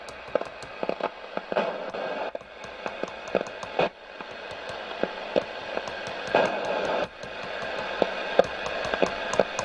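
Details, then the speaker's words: Roberts R200 radio that was totally dead, just revived at 8 V. Irregular sharp crackles and pops when tapped; unsure whether it's the transistors or the tuning capacitor, leaning towards transistors. "so don't know if that's transistors or the tuning cap i think that's transistors yeah the um if i tap those"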